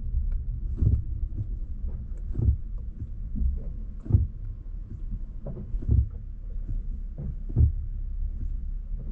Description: If you hear a clunking or thud from the passenger side wheel well. It is your washer fluid reservoir. Even at the fullest level it will continue to make noise.